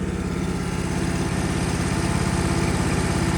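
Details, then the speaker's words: Ditch Witch 1820 trencher after carburetor cleaning, choke pushed in and throttle at idle, no fuel leaking: small single-cylinder engine ticking over at a steady, even beat of about three firings a second with no stumble; healthy idle. "We can push our choke in a little bit to let the uh gas running great with no choke. And this is our gas throttle. So completely idle now."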